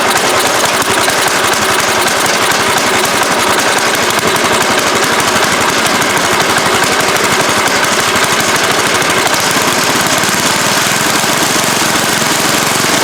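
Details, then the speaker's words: Toro 7/24 snow blower, 7 hp engine, test start before fitting the cover, cold: loud, rapid single-cylinder popping at a steady pace with raspy exhaust; starts and holds its run, may need a tune after warm-up. "so I know it starts it might need a little tune I don't know you I'll probably just let it warm up a little bit before I mess with any of the adjustments"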